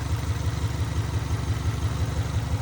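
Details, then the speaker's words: Subaru Legacy naturally aspirated, bought cheap, misfire on cylinder one, engine low on oil: low lumpy idle with a dull slap repeating about five times a second; owner hopes plugs and injectors fix it, cause unknown. "But we might be buying this for 600 bucks. Got a weird slap going on."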